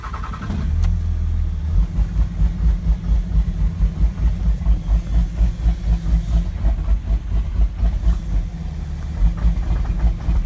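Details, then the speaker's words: 2006 Cummins diesel with rough idle that began suddenly: after start it settles into an uneven lope, about two heavy pulses a second wandering in strength, not a lope tune; owner suspects a bad injector, unconfirmed. "So I think I have a bad injector."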